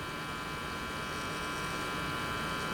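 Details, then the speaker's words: Philco 53-702 tube radio after replacing the last two capacitors (a Y2 safety cap to ground and one across the line), run from a Variac at 100 V through a two-bulb dim-bulb tester drawing 0.17 A: constant buzzy mains hum at full speaker volume, still more than hoped. "Radio's making noise. I was hoping that hum is a little bit less, but it's not where I want it to be. That's full speaker volume."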